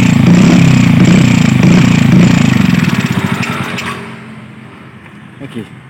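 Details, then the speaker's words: Yamaha Vega R single-cylinder, hot engine: pulses then slows, stumbles and dies instead of taking throttle; runs normally when cold; owner suspects ignition (coil, CDI, pulser) or carburetor. "Mas Bro ya kalau sudah panas mesinnya susah ini terus juga semoga"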